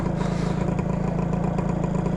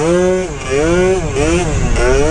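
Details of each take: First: 120cc stroker Honda Elite two-stroke scooter being ridden after a needle-clip change and a fresh plug: a buzzy, burbly, uneven drone at light throttle with no crisp pickup, and the front end lifts; running very rich on the bottom end. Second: 120cc stroker Honda Elite two-stroke after tuning and fitting a Quick Throttle: sharp blips, then a clean, steady high tone without stutter or bog; pulling strongly and crisply, owner thinks it is tuned right.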